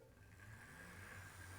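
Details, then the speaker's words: Wrenn Castle Class model locomotive test run. A steady low motor hum with a faint higher whir runs smoothly, not noisy, with little vibration and no rattling: normal running. "you can hear not terribly noisy there's not a lot of vibrations"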